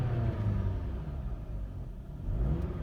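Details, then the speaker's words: 2007 Dodge Caliber 2.0L, 340,000 km, very low compression, towed in as no-start, cold weather, low battery: after a flooded start the engine catches at full throttle and runs rough, settling as excess fuel burns off. "for that first little bit I was Full Throttle trying to get that to burn everything out and she is running"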